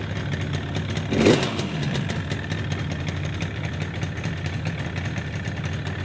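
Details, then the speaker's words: Vintage two-stroke motorcycle (1973 Yamaha RD250 or 1974 Kawasaki F7-175) restarted with oil still in the lines: crisp, even ring-ding idle with one quick throttle blip, running clean and steady, normal two-stroke idle. "yep sounds so much better without that damn beeping"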